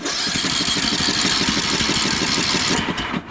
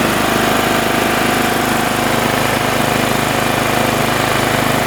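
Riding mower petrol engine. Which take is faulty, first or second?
first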